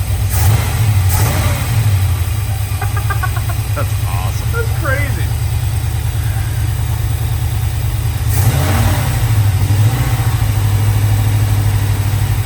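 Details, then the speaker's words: LS-swapped square-body Chevy truck V8 on first start after priming the oil system: deep, smooth, even idle with a steady low rumble, no knocks or ticks, very quiet; clean, healthy normal idle. "my neighbors got to love this this is the quietest thing I own it's the only thing it doesn't have Zoomies on"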